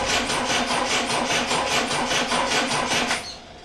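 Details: Triumph Dolomite first start attempt after refitting camshaft cover and setting static ignition timing, battery 12.9 V, starting spray into intake: even starter chug about two and a half turns a second for three seconds, never catching; cranks with no spark, no ignition power.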